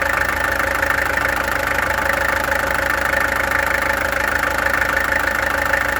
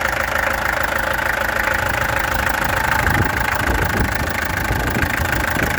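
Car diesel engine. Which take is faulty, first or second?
second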